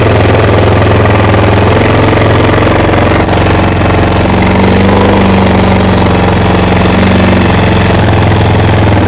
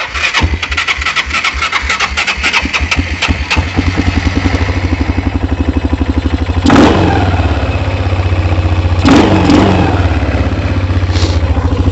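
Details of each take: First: ATV after carburetor cleaning for bad gas, during idle adjustment: small single-cylinder runs steady and even at idle with a firm low thump, no misses or surging; runs healthy. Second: Kawasaki Bayou 220 ATV with suspected bad gas, starting-fluid test: steady cranking ticks, then engine catches and runs a few seconds on starting fluid, not dying right away; spark and compression present, fuel delivery suspect, low oil also suspected.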